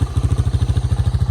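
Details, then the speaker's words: Honda FourTrax 300 ATV bought at auction, first run after sitting: even thumping single-cylinder idle, steady and regular with no clatter, sounds like a sewing machine; normal healthy idle. "but I I am happy this thing runs perfect sounds like a sewing machine sitting there running so"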